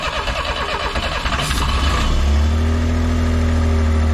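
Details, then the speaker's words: Japanese kei mini truck off the road for some time, old air filter foam, starting fluid sprayed: uneven cranking about two seconds, then catches and settles to a steady even low idle; engine starting. "Are you serious? It's running on its own. This thing's been off the road for quite some time."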